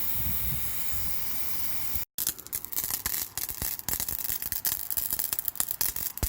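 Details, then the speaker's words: Microhydro turbine test nozzle at full pipe pressure, about seven atmospheres, some 20 minutes after turn-on; a steady hissing jet cuts out, then returns as ragged spitting and popping bursts. Owner suspects air purging down the line. Sputtering water jet. "just working on editing this on the back porch and I hear it start doing this I don't know what's causing it exactly I don't know if there's actually air coming down the line that it's purging still or what"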